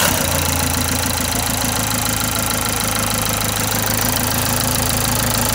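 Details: Renault Symbol with a fully rebuilt engine, tested after a part change: steady, even idle with a smooth low hum and no slap or rattle from the belt side; the engine sounds settled and normal.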